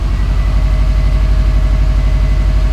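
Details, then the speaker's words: 2012 Subaru Forester XT S-Edition flat-four turbo (VF52, turbo-back exhaust), first start after DIY oil and filter change with Penrite 10w-40; cranked first to fill filter and lines, oil pressure light off almost immediately; deep, even idle, no knocks or ticks; normal idle. "let everything fill up with oil and then we'll start it up oil pressure went off almost straight away"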